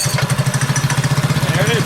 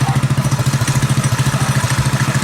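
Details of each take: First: Predator 212cc single on a modified Coleman KT196 go-kart, started cold with a little throttle, idles higher than usual at about thirteen even thumps a second; owner attributes the raised idle to the advanced ignition timing. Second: Predator 212cc single on a modified Coleman KT196 go-kart, timing advanced and exhaust repaired after crash damage, thumps along at an even, steady idle with no rasp or exhaust leak; sounds healthy and sealed.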